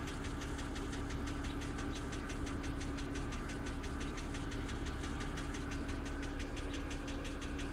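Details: 2007 BMW X3 petrol engine at cold start idle: quick steady knock loud enough to hear in the cabin with doors closed; oil level sensor reads full.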